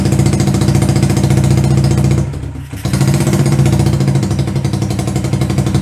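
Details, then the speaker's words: 125cc CCW Sinnis Heist hardtail chopper single: lumpy, uneven putter around 220 beats a minute that sags almost to stalling then picks up; won't hold idle by itself. "it's not quite idling but it's for running let's see if we can get it idling by itself"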